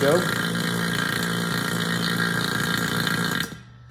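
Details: HVAC vacuum pump switched on and pulling down on a micron gauge (target at least 500 microns): steady, even low hum at constant pitch with no knocks or rattles before shutting off; pump running healthy.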